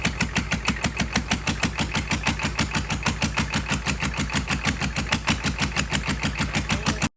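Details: GEP/Navistar 6.5 diesel with Stanadyne DB2831-4911 injection pump and new injectors, run on a stand without exhaust manifolds after glow plug: steady clatter about six pulses a second, no misfire; normal idle.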